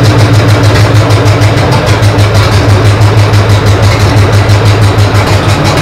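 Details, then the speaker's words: P48 project engine first start after fuel lines, plug wires and timing set, no coolant in yet: catches and settles to an even, steady low idle thump with no knocks or misses; runs clean. "but yeah starts up sounds great idles great"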